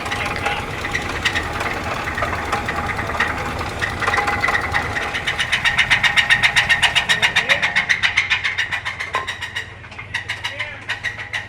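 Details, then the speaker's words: Hemi Ram truck engine: sharp, fast, even clacking about three or four per second over a quiet engine, quieting as it warms; suspected cam on one bank, possibly oil passages not cleared when cam was pulled. "No, that's that cam, bro. That's that cam heating up."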